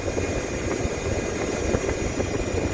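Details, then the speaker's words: Nissan 5.6L VK56DE V8 at idle: thin steady high whine over rumble, sounds like a bad belt, pulley or alternator, but caused by an AC Delco aftermarket oil filter failed after 2 months; fix OEM Nissan filter. "almost sounds like it's a belt or a pulley that's gone bad but in reality it's your oil filter"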